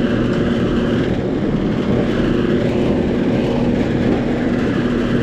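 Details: Older-style air conditioner outdoor unit not cooling, lights blinking as if struggling to start: loud condenser fan roar with low hum, compressor never runs; stuck compressor pulling locked rotor amps, capacitor then measured 50 microfarads.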